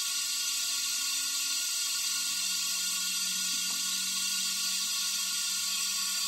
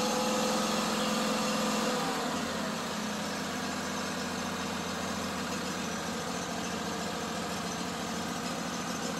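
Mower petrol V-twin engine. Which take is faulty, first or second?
first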